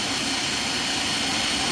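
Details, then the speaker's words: Elevator motor-generator spinning idle at the floor with the elevator on inspection. An abrasive stone held on the commutator gives a steady hissing grind while seating newly replaced, unseated brushes, which run noisier before they seat. "so it is rather noisy you can hear a difference in it running with them not seated"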